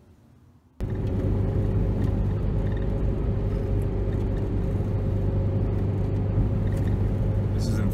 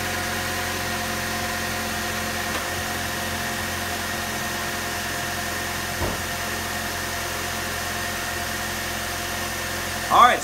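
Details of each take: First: 2004 Chevy Cavalier 2.2L Ecotec, driving: heavy uneven drone, bogs down on acceleration, RPM plummets near stalling; codes P0300 random misfire and P0171 lean, catalytic converter glows red after 25–30 minutes, runs like two or three cylinders. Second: 2004 Chevy Cavalier 2.2L Ecotec after repairing rough running (P0300 random misfire, P0171 lean): petrol engine now idles smoothly and evenly with no stumble or shake; check engine light still on.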